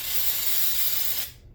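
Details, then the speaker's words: Aerosol carb cleaner spraying the carburetor body of an old Honda-powered Craftsman lawn mower; hard hiss that fades and cuts out after about a second; user suspects the can is running low. "You know, I don't like the sound of this. It kind of almost sounds like it's running out."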